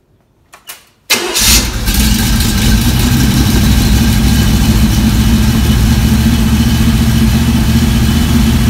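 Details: V8 on run stand with new mufflers fitted for sound test, second start heard from about four feet from the nearest muffler: short crank, instant catch, deep even burble holding steady with no misses; normal start and idle.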